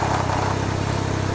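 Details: Can-Am Ryker engine at idle: steady even idle with an extra rushing, breathy note; air intake noise.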